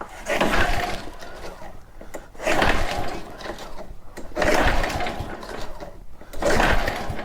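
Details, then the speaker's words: Very old Honda walk-behind mower at about 30 degrees outside, choke possibly off: four separate pull-start bursts about two seconds apart, engine spins each time but never catches; cranks but won't start. "it's not looking promising now is it the choke should be on let's make sure"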